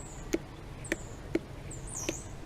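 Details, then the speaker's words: Mitsubishi Shogun Sport vacuum 4x4 solenoid bench-tested by tapping 12 volts across its terminals: five crisp clicks about half a second apart, solenoid working; the flashing 4x4 light fault was traced elsewhere. "So yeah, you can get the 12 volt and just splash them across the two terminals, and you should be able to hear the solenoid clicking."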